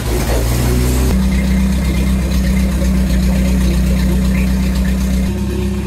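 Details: Renault R2087 (Goélette) 4x4, first start in a long time after engine rebuild, alternator and electric fuel pump fitted, weak old battery: steady low engine drone at an even idle, no knocks or rattles; healthy, normal idle.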